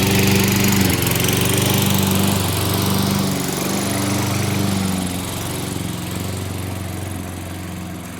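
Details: Toro mower with 6.5 hp Tecumseh engine, wouldn't start after winter storage, after carburetor cleaning and on customer's fuel: small single-cylinder engine holds a steady even beat, no surging or stumbling; running properly.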